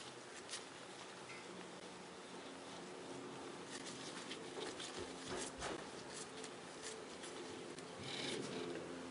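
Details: 2004 Nissan Quest, new Timken replacement rear wheel bearing spun by hand: turns almost silently with a faint soft whir and no grinding, unlike the old one.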